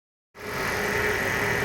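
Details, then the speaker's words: Mercedes E420 W124 M119 petrol V8 settling into a steady, even idle with no missing beats after its cold no-start misfire was solved. The valve cover was just closed, and possible smoke is noted. "right guys the engine is running normal now"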